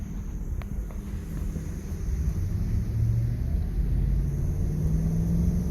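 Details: 2001 Ford F-150, runs, sold as a mechanic's special with a misfire; deep, rough rumble with an uneven, lumpy beat rather than a smooth pulse: engine misfiring on at least one cylinder.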